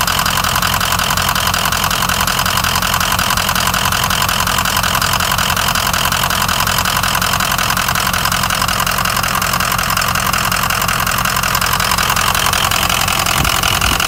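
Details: 2004 Ford Excursion 6.0 Powerstroke diesel (head studs, EGR delete, blue spring) with a loping rough idle that appeared after spirited driving: an uneven, lumpy beat from one weak cylinder. The #7 injector had failed, and replacing it fixed the idle.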